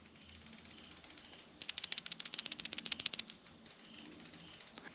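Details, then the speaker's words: 1940 Harley-Davidson UL 74-inch flathead oil feed pump, cleaned during rebuild, shaken by hand: light, crisp metallic rattle in quick bursts about four a second; the bypass relief plug moves freely, as it should. "when I see that little a little plug there it drops back and forth and it's supposed to do this supposed to hear this sound when you shake it"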